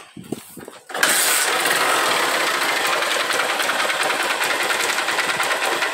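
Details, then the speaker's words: Honda Titan 150 misfiring, start and idle: busy metallic clatter, a knock at the side from the clutch basket or balancer and a rattle on top from piston skirt slap, possibly confused with cam chain; top end to be rebuilt. "ó ela tem uma batida do lado aqui Campana ou drenagem do balanceiro E tem também um Maracá em cima aqui no cilindro pode ser saia de pistão confundindo um pouco com corrente de comando"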